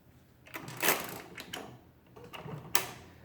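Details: Rebuilt Marchant KE mechanical calculator, set into division mode with the carriage slid over and locked, entering 355. Short bursts of crisp, unhurried clatter with no grinding as it cycles. Normal operation.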